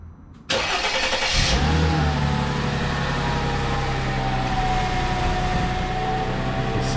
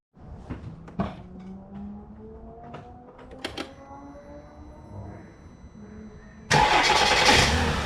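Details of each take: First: Mercedes ML W163 after starter replacement; it had ground after starting, from a bad starter bearing. It now cranks briefly, catches cleanly with no grinding and settles into a smooth, even idle. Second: Mercedes ML W163 starter: clicks while cranking, then a harsh grinding for a few seconds as soon as the engine starts. Broken starter teeth were suspected; on removal the starter's bearing was found fairly loose, likely the cause, and the starter was replaced.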